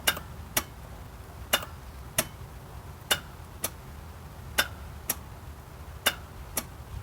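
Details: 1997 Geo Metro no-start: sharp dry clicks about once a second, uneven, with no cranking; starter already replaced with new, clutch switch bypassed, ignition-to-starter wire clean, cause not found.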